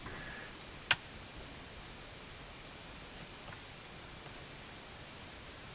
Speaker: You can hear hissing out of the speaker.